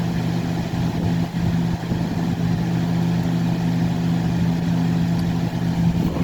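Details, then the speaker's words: Lasko 3750 box fan (2000–2001, PSC motor, 60 Hz), motor previously seized and now cleaned, at 123 V. Smooth, steady low hum with an airy rush and no ticking, on medium at 1.3 A, 120 W. Normal running on medium. "I actually rather like the sound of this fan. It kind of sounds like a 90s 3733. 1.3 amps on medium, 120 watts."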